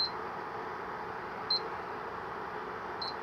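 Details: Opened Electrolux ICP30 induction cooktop (127 V) showing no error. A single high beep repeats about every 1.5 s even with an iron plate, with no coil hum and no heating. Suspected open 135 °C thermal fuse.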